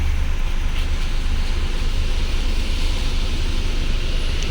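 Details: Mahindra Bolero Power Plus BS6 diesel, DEF no-start warning, running on a jumper battery. Just started and still below the 75° needed for DPF regeneration, soot mass 18 g. Low, steady diesel rumble with a little wind, no knock or miss. A normal idle.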